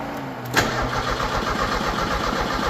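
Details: 1986 Merkur XR4Ti 2.3L turbo Ford donor engine, test-fired with no coolant, fuel line off, cranked to build oil pressure before adding fuel: steady, rapid starter cranking that never fires. Cranks but no start, cause unconfirmed.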